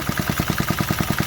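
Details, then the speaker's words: 1968 Briggs & Stratton 2.25 hp single-cylinder, first run after sitting decades; steady even putter of about ten firing pulses a second, no misses or knocks; normal idle on its own. "She's idling on her own. Yeah, this thing is a sweetheart."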